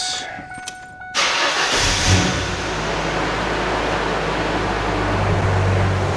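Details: 1998 Ford Ranger 2.5L four-cylinder, bought at 63,000 miles after sitting 12 years, started after an oil change with 5W-20. Quick crank, then a steady, even idle with no knocks, misses or leaks.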